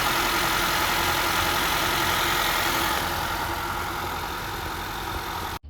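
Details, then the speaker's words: 2013-2017 Honda Accord/CR-V 2.4 four-cylinder after tensioner pulley and serpentine belt replacement: smooth, even idle with steady hum, no squeal, chirp or belt wobble; noise solved, normal idle. "awesome so we got our tensioner pulley fixed the noise is solved"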